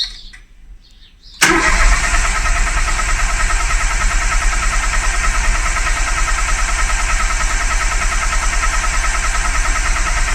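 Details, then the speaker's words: Classic Mini with a turbo Ford EcoBoost 3-cylinder that has not run in 4 years, coils unplugged: after a click, a steady even starter whirr cranks without firing to build oil pressure until the oil light goes off. Normal priming crank. "And we'll crank it a little bit more until we're happy it's got oil pressure. Oil light goes off."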